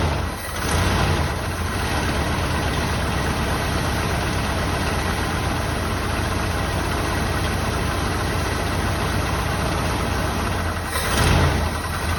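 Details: 1984 Jeep Wagoneer carbureted engine, first start attempt after sitting, with choke: fires on the crank and settles into a smooth, steady low idle with no knocks or stumbles; running properly.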